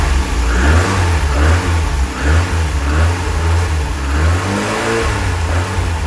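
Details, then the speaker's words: Lotus Elite revived after ten years laid up in a barn, after cleaning debris from the carb float chambers and adding fresh fuel. Still cold, with good oil pressure and charging. A deep, smooth idle rises through crisp revs and drops back evenly, with no misses or knocks. "You know, I'm so glad I just tried that one last thing before I finish the episode. How smooth is that?"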